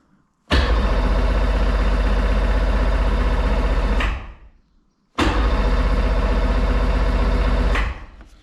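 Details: Sea-Doo Sportster 1800 jet boat, twin Rotax 717 two-stroke engines, sat in a barn at least 18 months, fuel gauge at zero: two bursts of steady cranking, about four beats a second, on choke and throttle, with no firing; cranks but won't start.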